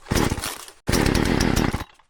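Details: Poulan Pro chainsaw after replacing sprocket and oil pump, started with prime and choke: short crisp two-stroke bursts revving cleanly, catching at once and dying back without sputter; normal running.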